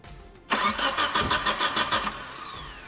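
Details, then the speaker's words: 2001 Chevrolet Grand Vitara, towed in with a crank-no-start. The starter cranks steadily, about three turns a second, but it never fires. The scope shows no crankshaft position sensor signal, so the ECU sends no spark or injection pulses. Failed sensor. "y como se puede observar no existe la señal digital este sensor no está enviando la señal digital hacia la computadora"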